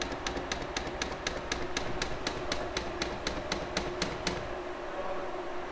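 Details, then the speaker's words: Atlantis EM-90 polymer makedown system metering pump priming neat polymer at 100% speed in hand mode, filling the 125 ml calibration tube. Crisp even ticks about four per second over a low hum, stopping cleanly; normal. "You'll hear the polymer pump start running as it starts drawing in neat polymer. It's a good idea to have the stroke turned up to a decent rate for this."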